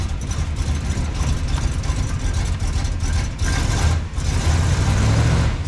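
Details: Roughly 1965 Plymouth Fury wagon V8, revived after about 20 years parked in a yard, revs raised: deep, even rumble with steady firing and no knocks or misfires; total timing around 39–40°, alternator charging once RPM rises; owner thinks it may need rejetting.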